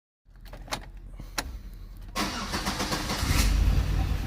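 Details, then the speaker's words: Chevy Impala engine running with uneven stumbling thump, severe misfire on cylinders three and five, mechanical problem in number three confirmed by comparison test; intake vacuum low and unsteady instead of about 20. "This is an Impala misfiring. Uh three or three and five is misfiring. He's got a mechanical problem in number three."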